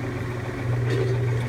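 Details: Kenmore/Whirlpool top-load washer on spin cycle: even low motor hum with no drum spin-up swish, belt still attached; motor runs but basket stays still, worn clutch needing clutch kit.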